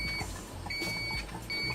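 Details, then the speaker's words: Amway eSpring water filter: a high thin electronic beep repeats about three times in two seconds over running water while the display shows a red glass. Suspected cause is the filter lid not fully closed, possibly after a cartridge change. "скоріш за все після заміни змінного фільтра або в іншому випадку кришку системи очистити води і Spring було закрито не до кінця"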